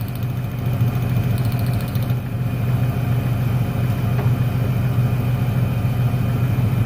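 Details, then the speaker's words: 1996 Ford Ranger 3.0L V6 lacking power, steady low idle with a slightly uneven loping beat; pulling the last plug lead changes nothing, so that cylinder, identified as number 1, isn't firing; dead cylinder. "problema está en el último al desconectarlo no se nota ningún cambio en el motor ese cilindro es el que no está trabajando"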